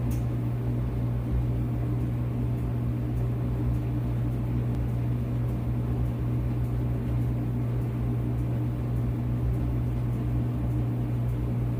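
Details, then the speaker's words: Whirlpool WED92HEFC2 dryer after replacing belt and drum rollers, motor previously loud and suspected near end of life, now fully reassembled: low steady hum with even drum rumble, no buzz, squeal or knocking; very quiet and smooth, normal motor running. "It's very quiet and smooth. Very quiet. Very smooth."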